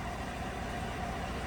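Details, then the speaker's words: 2015 GMC Sierra 1500 Denali 6.2L V8 idling after repairing a tick caused by a bent, broken number 6 intake pushrod: a smooth, even low rumble with no tapping, no misfires, and normal O2 sensor switching. "And we'll start it up and have a look at some data. look at engine data. So it's running beautiful."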